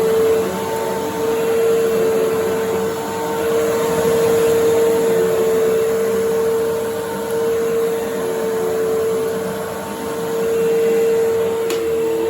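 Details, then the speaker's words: 1997 Fantom Fury 10 amp vacuum cleaner, about 25 years old, running after reassembly: steady even motor hum with strong airflow through machine and hose, no rattles; normal running. "so you can see that despite being a 25 year old phantom it runs very nicely and for fury you can hear there's a lot of air moving through the machine and through the hose"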